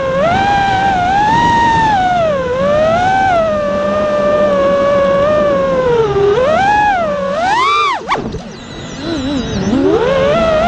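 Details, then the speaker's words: A quad with iFlight motors flies after two dying ESCs were replaced with DYS 35A ESCs. The motor whine climbs and falls smoothly with throttle, with no rattle, buzz or frame resonance. It is a normal, healthy flight. "so there you go it sounded 10 times better you can hear the motors are spinning faster the frames not vibrating anymore there's no resonating or anything it just it sounds good"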